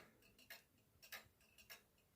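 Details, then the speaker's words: 1940s Manufrance box clock, Girod movement with long pendulum: soft ticks about every 0.6 seconds with slightly uneven spacing, drifting out of beat and back, from nearly half the escape wheel teeth being short or bent. "If you stand next to this clock and you closely listen to it ticking, you might notice that at some point it gets out of beat and then it comes back to normal."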